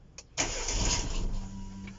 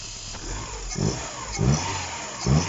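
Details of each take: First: Opel/Vauxhall Corsa petrol engine, first start after shop engine build with vacuum leaks found: cranks, catches, runs briefly with a little stumble, loud pump, then sags; won't hold idle without throttle assist. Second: Opel engine after shop rebuild, first start with timing corrected: petrol engine running normally, blipped about once a second, revs rising and falling cleanly.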